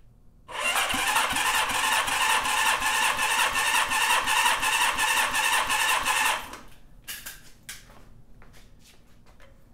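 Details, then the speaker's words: Honda CB550 four after top-end rebuild, cold on the bench, oil squirted in cylinders: even cranking with matched beats; previously worst cylinder (97 psi) now 160 psi, manual normal 150-170. "right, this was the worst cylinder and we're at 160. So that's awesome. Huge improvement there."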